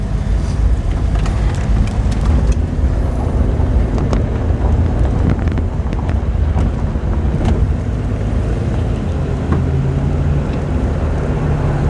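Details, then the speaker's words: Turbo Slant Six Dodge Dart with a fresh .060-over engine, driven hot and making about two pounds of boost: smooth, even engine note with a steady low beat and no knocks or ticks over light wind. Normal running. "she purrs like a nice stock slate"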